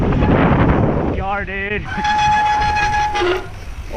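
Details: Steady high squeal around 800 Hz with overtones, held over a second under braking; the brakes sound overdue for new pads, cause unconfirmed.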